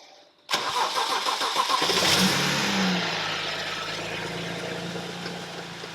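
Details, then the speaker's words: BMW 335i N54 first startup after replacing fuel pump, fuel sending unit and ignition coils: engine catches and settles into fast cold idle with loose metallic wastegate rattle on top; otherwise runs good. "up hear the the laugh aka the that's wastegate whiskey rattle all right so runs good"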